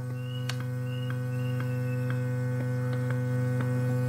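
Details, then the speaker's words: Bluetooth amplifier fitted with a replacement module, microphone held close. A constant low drone with faint ticks on top: mains hum leaking in through the module's shared 5 V supply. "Nah, dengan modul seperti ini tapi kendalanya dengung ya."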